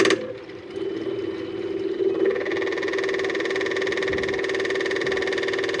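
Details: Cat 259D skid steer at its 1500-hour service, key-on with a newly replaced fuel pump and fuel filter: a steady mid-pitched electric hum holds even as the pump primes and fills the filter properly, with no leaks.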